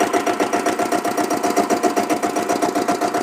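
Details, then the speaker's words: Diesel Bullet motorcycle with self start. The weak battery makes self-start slow. Crisp, even single-cylinder diesel thump about four beats a second at idle, with no extra noise from the clutch plate. Healthy engine idle. "வண்டியோட பீட்டை கேளுங்க எவ்வளோ சூப்பராக இருக்குதுன்னு பாருங்கள். இந்த வண்டி beat பாருங்கள். Clutch பிளேட்டில் எந்த விதமான ஒரு எக்ஸ்ட்ரா நாய்ஸுமே இல்லை."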